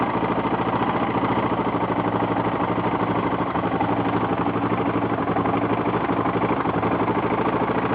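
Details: 1992 Yamaha XT600E (3TB) single-cylinder at steady idle: fast, even ticking clatter on every beat, top-end-like knock; owner asks what the noise is, cause unknown.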